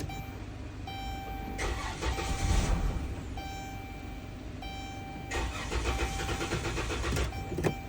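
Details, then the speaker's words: 2011 Chrysler Town and Country after a new door key was cut and the remote programmed: the starter cranks steadily in two bursts, but the engine never fires, crank no-start. Someone wonders whether it is out of gas; the cause is unconfirmed. "Is it out of gas or something?"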